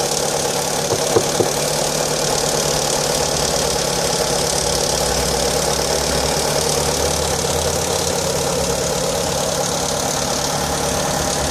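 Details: Fiat Stilo 1.8 petrol at cold start and cold idle: uneven light tapping mixed into the running note, clearly abnormal but cause not obvious by ear; strange engine noise at cold start.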